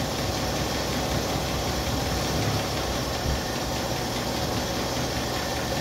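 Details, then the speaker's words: 1964 Chevrolet Impala inline six, first run after sitting since 1995, fuel with two-stroke oil in it: even, steady low rumble with no knocks or stumbles, slight smoke; normal idle. "so she's running she's even idling man this is crazy these inline sixes are some good ass engines man"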